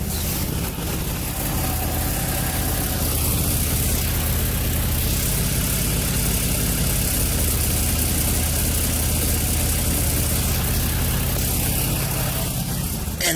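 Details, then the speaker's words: 2003 Nissan 350Z with random P0300 misfires after manifold, cam sensor, coil and plug replacement: rough idle with rapid puffing tick from exhaust; test pipe leaking badly just before the O2 sensor, wiring visibly flapping; lean condition suspected to cause misfire. "you can tell where that is awesome leaking so bad you can actually see the o2 sensor vo wiring on it just flapping"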